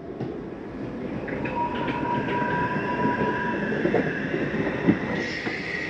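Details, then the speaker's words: 2023 Flagstaff Classic 832IKRL travel trailer bedroom slide retracting by holding the button: even rumbling gear-motor drone, faint steady whine, no binding; a little noise at the end means fully in. Normal slide-out motor operation. "Why did you hear that little noise? That's just the slide mechanism saying I'm in all the way."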